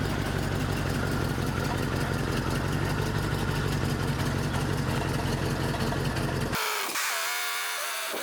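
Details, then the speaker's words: 1983 Ford E350 RV V8 driven on its final trip, needing left-foot braking to stay running: ragged, lumpy idle with fluttering exhaust before cutting off; rough running from a blown head gasket. "So I did have to do some left foot braking to keep this thing running. It's running pretty rough."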